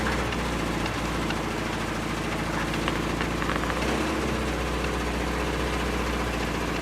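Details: $50 project car on first start after jump, smoking while burning off old fuel: uneven, shaky, lumpy idle with background rattle; owner suspects dirty throttle body. Rough idle.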